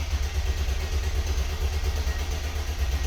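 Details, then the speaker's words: Mercedes E320 W124 convertible, M104 engine, on the lift before throttle-body and alternator harness replacement: steady cranking around 87 per minute with uneven low chugging that never catches; cranks but won't start. "it's so you can hear that it actually tries to start but it's not going to so we'll see let's see if we can make this car run again"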